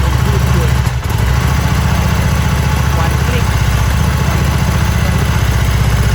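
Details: Harley-Davidson Sportster after four months of cold-weather storage, started easily with a battery jump starter kit; deep, loping potato-potato thump at roughly four beats a second, steady without stumbles; V-twin idling cleanly.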